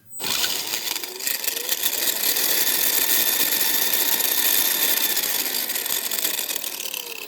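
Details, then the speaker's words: Red Cat Racing Everest Gen 7 Pro RC crawler motor, run unloaded after adjusting pinion/spur gear mesh to fix a squeak: high, thin electric whine with a faint rasp. Sounds better but still loud; motor bearing noise remains. "okay so it sounds a lot better but there still is a little bit of loudness here or a lot of sound"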